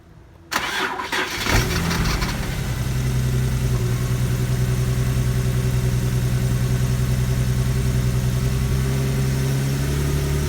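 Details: Infiniti G37S: short crank, then a low, uneven idle. Plugs, coils and MAF have already been replaced, the engine maxes out at 4,500 RPM in every gear, and the owner suspects an intake manifold gasket vacuum leak. Cause not confirmed.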